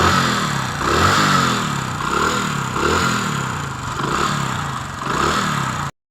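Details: Hero Honda Splendor single cylinder, inspected for a tappet tik-tik sound with tappet setting: revs up and settles a few times with an even beat and no top-end tapping. Normal running.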